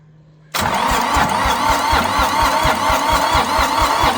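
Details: Long-abandoned International 284/285 4x4 diesel tractor, fuelled, primed, with glow plugs refitted and cylinders filled with ATF: cranking at about two strokes a second, some cylinders catching but never picking up. Owner suspects leftover ATF and wants more throttle and glow plug.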